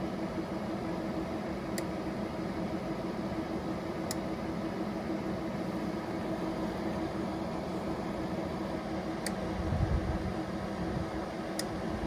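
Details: EcoFlow Delta Pro on firmware 1.0.0.74: single sharp clicks every two to five seconds over steady fan hiss, cycling faster than previous firmware; relay clicking suspected, not fixed.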